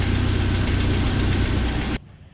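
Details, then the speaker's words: 1997 Jeep Wrangler TJ 2.5 engine after timing chain replacement: pulsing low-pitched knock at idle, owner concludes engine knock and plans a rebuild. "Well, it's come back and now I realize that it's a engine knock and I haven't ran JJ in uh a week."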